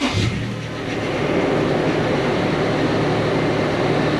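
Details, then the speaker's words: 2007 Toyota FJ Cruiser 1GR-FE V6 after replacing timing chains, tensioners and guides with OEM parts for code P0016: starts and settles into a steady, even idle with slightly noisy power steering pump whir; began stumbling minutes later. "Still a little noisy, the power steering pump. And as you can see, it ran really well, it sounded great,"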